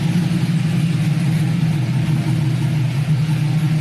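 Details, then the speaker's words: 99–06 Silverado/Sierra LS V8 after head gasket replacement and BTR Stage II truck cam install, single-in single-out Flowmaster exhaust, no check engine light; deep idle with rhythmic, choppy lope through the exhaust, steady and even; normal lopey cam idle. "i don't know if you guys can hear it but we lopping we are loping [Music] hear that crunchiness oh man that's only single in single out flowmaster effect imagine if i ran through duels"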